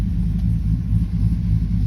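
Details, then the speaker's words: 2012 Chevy Silverado with bigger cam and Circle D torque converter, in reverse: deep, slow, slightly lumpy idle rumble sitting low and uneven; idle speed set too low, adjustments via scanner planned. "because you can take and put it in reverse and it really in my opinion just it's idling too low i mean it's it's not bad but"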